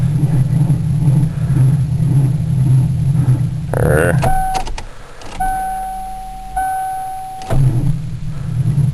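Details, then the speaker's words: Ford Crown Victoria at about 7°F in wind and snow, with swapped-in brand new battery: sluggish labouring starter churn, chimes, weak cranking that never catches; slow crank no start, owner suspects starter drawing too much power draining the battery. "this thing really isn't starting up too easy which is kind of what I expected um doesn't start up very good even"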